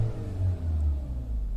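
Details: Skoda Rapid after repair work for misfire codes P0301–P0304 and jerking at idle: a low, even rumble at steady rpm with no stumbles or jerks. Engine idling normally.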